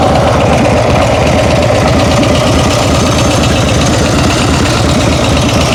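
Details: Busy, even idle with a fast light tick at engine speed; owner thinks it comes from the rear cylinder, cause not confirmed.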